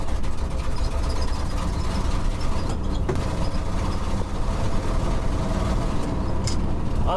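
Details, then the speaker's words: 1969 Ford F-350 with worn stock FE 360 V8 and 4.56 gears, lugged under load: lumpy uneven rumble with sharp pops; dead cylinder misfiring and backfiring, cutting out. Owner suspects timing, valve train and a bad piston. "it's uh got a dead hole backfiring a lot cutting out when you lug it some of that's timing some of that's probably the bowels some of that's a bad piston"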